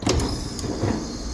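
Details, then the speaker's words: Walk-in freezer on a late-night no-cooling call, after burnt wires were replaced and the cover was refitted: sharp contactor click, then the compressor settles into a steady low hum with no rattle or buzzing. Sounds right, normal running; service gauges to follow. "Sounds right. I'm going to watch it for a bit and put some service gauges on it."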